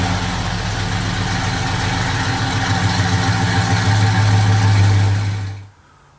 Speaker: you look at that it fired right up a little bit of stumble thought maybe it was gonna die but just turned right on